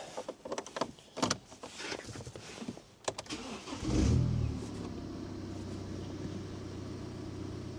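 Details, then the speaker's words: BMW E87 118d with N47 diesel, after replacing the brake vacuum sensor for fault 4AFB: cabin clicks, then it cranks, catches and settles to a steady idle with no 'A' warning chime; normal start. "Oh, silence is golden. Look at that, no more bing bongy a symbol coming up. Perfect."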